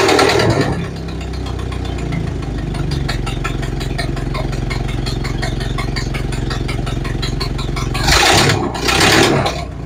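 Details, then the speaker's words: Model A Ford after four months sitting and new parts: old four-cylinder idling with quick uneven puffing tick over its low chug, valve about a third open; runs well apart from exhaust leak. "okay so that went well started right up ran good except for that"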